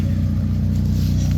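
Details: Black Honda EK Civic exhaust at idle after the leak repair (hole welded, crush gasket good, new hanger fitted): deep, even rumble with no puffing or ticking. The exhaust sounds sealed and healthy.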